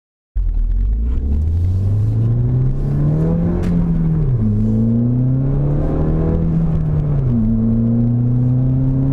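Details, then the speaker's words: Ford Fiesta ST with stock airbox and filter, driving through gear changes. Engine tone climbs and drops smoothly with only a faint air rush on lift-off and no blow-off noise at redline shifts. Slight turbo bypass sound at low speed is normal. "so on the fiesta with the stock box a little bit of sound is okay at low speed"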